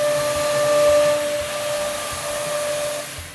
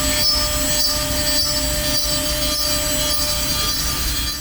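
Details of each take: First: CNC router cutting wood cleanly: steady high whine over even rushing hiss without strain, indicating a sharp bit and optimal feeds and speeds. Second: This is known as the screaming bit. If your bit sounds like this, it's screaming or whining excessively, it's [music] often a sign of one of three things.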